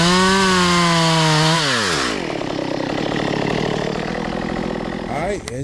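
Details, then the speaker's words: Stihl MS192 chainsaw stored for years, cleaned, carburetor adjusted, new bar and chain: holds a clean steady high rev, drops smoothly to a regular idle and keeps running evenly; running right. "Got this bad boy cleaned up. Got it back running. got the carburetor right. And uh man, this bad boy's ready to go."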